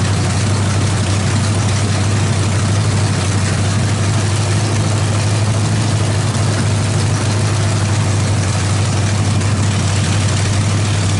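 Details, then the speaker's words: Freshly built Chevy 350 V8 with Thumper cam, open headers, valve adjustment while running: loud deep even idle, steady low rumble, no misses or knocks; sounds healthy, timing may need slight adjustment. "yeah we sprayed a little bit of oil on the floor that sounds bitching uh probably going to need to set the timing just a little bit"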